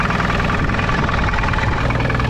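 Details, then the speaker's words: Small engine of a microcar (moped car), said to have 20,000 mileage and stood about 5 years; coarse uneven low throb at idle; sound disliked, cause unclear. Rough running. "un tad tu uzdev gāzi, viņš pilnīgi savilkās, nu, kā viņam jāstrādā. Bet tā skaņa vispār nepatīk."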